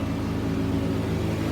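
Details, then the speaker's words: Genie S-40 lift with Ford gas engine, no-start traced to a starter that failed bench test; after fitting a new starter the engine runs with a steady even drone, no misses or stumbles, sounding healthy. "Let's test it hope it works oh she runs thank God"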